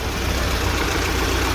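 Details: UMZ-4216 Evotech 2.7 Euro 4, 129,000 km: at idle a sharp regular tap keeping time with revs; about 15 ml oil poured into cylinder 1, knock persists and grows; head removed to inspect cylinder 1 intake valve. Loose valve seat knock.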